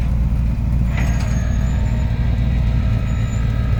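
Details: 1989 Lincoln Town Car V8 at idle: deep, lumpy rumble with a raspy puffing edge from an exhaust leak that still needs fixing.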